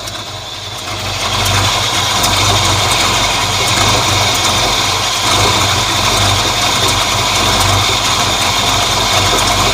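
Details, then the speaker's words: 1950 Ford F1 flathead V8 8BA idling after replacing a blown header gasket that caused an exhaust leak and backfiring; low, even idle with soft steady beat, no puffing or ticking, much quieter now. "I like it like she sounds much quieter now"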